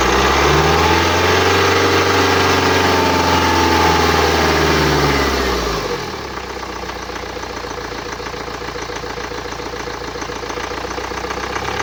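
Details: 2009 BMW X1 xDrive, 2.0 L N47D20D diesel, 130 kW/177 PS, 224,000 km; starts with a high rising-and-falling whistle over the revs, then a steady clattery idle; distinctive noise indicating turbocharger damage.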